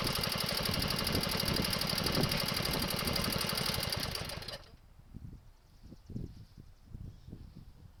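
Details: Wheel Horse 704 garden tractor Kohler engine, warmed up after recoil starter realignment, driving the yard: steady, even beat for a few seconds then drops away; no knocks or misses, runs healthy.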